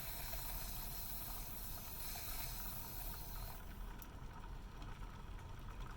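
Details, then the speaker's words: Refurbished 1982 La Pavoni Professional espresso machine, first power-up, boiler heating and building pressure: soft steady steam hiss from the release valve easing off as the spring seats the ball bearing; normal venting during warm-up. "and let's see if we get some pressure build up here and we're starting to go up you can hear releasing some pressure off here until this sets till this heats up"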